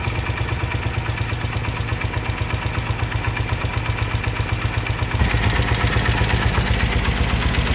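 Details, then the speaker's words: 1972 BMW R75/5 airhead twin with Bing 32mm carburetors during a digisync sync and idle-drop tune: even idle pulsing while the mixture screw is backed out an eighth turn at a time, and the idle speed starts to drop. "So I'm just backing this out ever so slowly, like an 8th turn at a time. You can hear the idle starting to drop."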